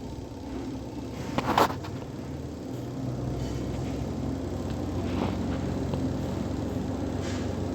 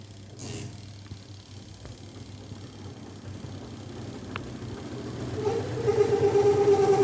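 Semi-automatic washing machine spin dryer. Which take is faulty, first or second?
second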